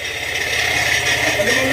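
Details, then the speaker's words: Honda Click 125 scooter run briefly without radiator: tinny buzzing rattle rides over the engine and climbs as revs rise, then falls back; the loose temporary plate is vibrating, not the engine. "At yung narinig yung ingay, yun dun sa temporary plate."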